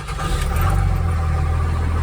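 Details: 2000 Dodge Ram Cummins 24-valve diesel with VP44 pump, start attempt after push rod cover job and reinstalling the old check ball; deep steady cranking churn without firing; VP44 suspected leaking down, hard start.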